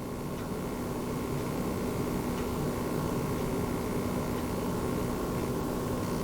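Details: Launch-model base PS5 running a game, microphone right above the console: only a faint even hiss and soft steady hum, barely audible; normal fan noise.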